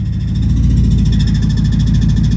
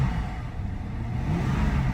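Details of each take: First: 2008 BMW E60 550i V8 automatic after a transmission swap replacing a blown transmission, shifted from park to drive: even, steady low hum with a regular pulse and no clunk, slip or whine. It engages and drives cleanly; a park-not-engaged warning appeared. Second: Cheap V8 BMW automatic, cold, with low coolant: in drive at full throttle the revs climb freely with a hollow droning roar but the car won't move, briefly stuck at 1800 rpm; transmission slipping, reverse also barely engages.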